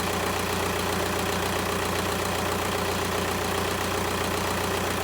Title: 1.9 tdi hard start problem